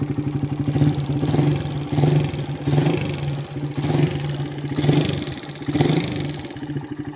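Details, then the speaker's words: Idling single-cylinder motorcycle, warmed up, still noisy after repairs by two previous mechanics: fast, even light tick over the exhaust beat, rising slightly with blips; top-end valve train noise, cam or rocker arm suspected. "Hindi ko alam kung sa cam or sa black aray ar tulog na aray."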